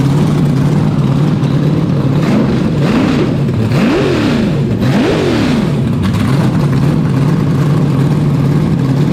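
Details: 427ci Dart LS Next 2 race truck V8 on engine run stand, first fire-up on methanol, solid roller cam, twin Precision 82/84 turbos; steady lumpy idle with three quick clean revs settling evenly, crisp; fuel pressure only 70 psi base; normal idle and revs.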